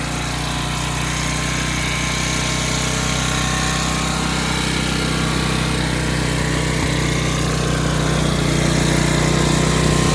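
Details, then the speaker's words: 11 hp Briggs & Stratton flathead swapped into a riding hauler, magneto kill bypassed; steady high-pitched drone, revving too high and not reliable sounding; governor needs adjusting. "I don't know that engine's a little I it's not very reliable sounding you know and Reps really high but I don't want to mess with it anymore"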